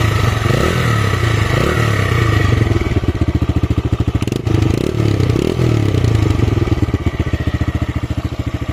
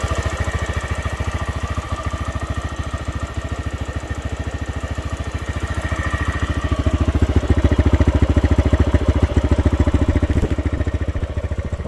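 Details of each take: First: TVS Raider 125 single, in an old vs new bike sound comparison: deep, thick, evenly spaced exhaust thumps with no ticking or rattle; running smoothly. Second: TVS Raider 125 motorcycle at about 28,875 km: an even light 'ting ting' ticking around three per second at idle, quickening and getting louder as revs rise; valvetrain ticking from a worn rocker.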